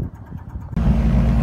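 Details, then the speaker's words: N3318Q aircraft engine started with a Powerall jump starter after another dead battery: quiet cranking, then it catches abruptly and settles into a steady, low, even run. The batteries aren't holding charge, to be checked at annual. "Well, lo and behold, the jump starter worked again. So that's another reason to take it into annual and find out why the batteries aren't keeping a charge."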